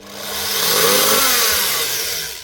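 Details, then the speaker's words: 2015 Makita SP6000 corded plunge saw: motor spins up with a rough raspy whine, visible sparking and clicking as it turns from a blown commutator segment; burnt armature, to be replaced with a new motor. "You can tell straight away from the sparking, but also from that clicking noise whenever she's spinning. You can hear there's a segment blown out of it."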